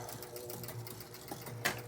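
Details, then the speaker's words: Gottlieb North Star pinball machine, after raising it to free a stuck ball: quiet steady whirring with fast small clicks that never stops; score motor runs on because score reels don't reset, the owner's reported fault. "Okay. So, this is the problem he was describing earlier, which is a much more common problem with the game's not resetting."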